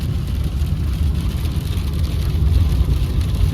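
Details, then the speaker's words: 2016 Ford F150 2.7L V6 twin-turbo 4WD with rear e-locker, driven in 4-wheel drive at 50 mph: steady low road rumble with no whine or howl; quiet drivetrain, noise in 2WD traced to failing front 4WD actuators. "Quiet. Super quiet."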